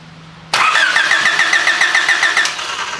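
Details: Honda cranking with no start during a coil test: the starter spins in quick, even beats, about 3.5 per second, and never fires. No-spark condition.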